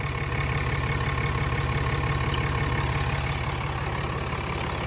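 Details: 2016 Ram 2500 diesel idling right after a new Fleece Cheetah turbo replaced the OEM turbo whose actuator was acting up; smooth, even clatter at steady idle with no surging, whistle or miss while the new turbo is run in at idle; normal diesel idle.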